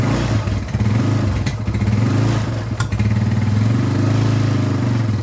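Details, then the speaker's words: Yamaha Scorpio after a no-start/lost-compression repair with new timing chain, tensioner and oil filter: even, crisp idle with clean throttle blips that rise and settle smoothly. Normal running. "Set Yamaha Scorpio sudah selesai dan berfungsi dengan baik. Kami mengganti rantai timing, tensioner, dan juga filter oli, teman. Semuanya sudah berjalan lancar."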